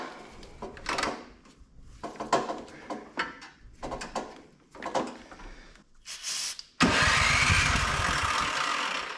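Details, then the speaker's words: Older Craftsman MTD-built snow blower: a few weak pops, then catches and runs ragged and loud only on sprayed carb cleaner; owner guesses carburetor plugged with filth and old gas. "Woo! She runs. I'm guessing that carburetor's probably plugged up with filth, old gas."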